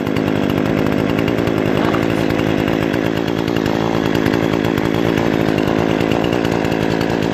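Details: Brand-new Remington Outlaw RM4620 20-inch gas chainsaw after its first start: steady loud two-stroke buzz holding an even pitch, no misses or surging; running clean and healthy.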